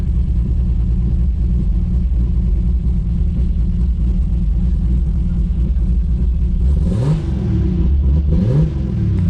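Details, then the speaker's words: Built 2JZ-GTE in a 1995 Supra, after a faulty part was found and fixed, with a full exhaust and new mid pipe. A deep, even idle with a couple of clean blips and no misses or ticks; smooth and healthy, with good oil pressure. "Oh yeah, listen to that. It actually sounds like a 2J now. I'm digging it."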